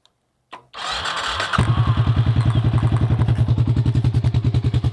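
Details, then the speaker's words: Suzuki S40 Boulevard with the exhaust fallen off, running open pipe: brief crank, catches at once, then a loud, even thump about three beats a second; normal start and idle. "it starts up no problem exhaust fell off but this sounds good without it"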